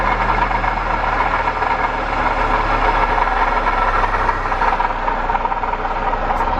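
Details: Acura RSX with K-series engine idling with a thin, steady high squeal over the running noise; the water pump was screeching and the engine overheating, pointing to a failing water pump bearing, fixed by replacing the pump.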